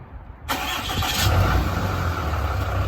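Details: 2008 Dodge Ram 2500 6.7L Cummins turbo diesel after oil and fuel filter change, fuel system primed: brief crank, then catches cleanly and settles into a steady even idle clatter; normal diesel start.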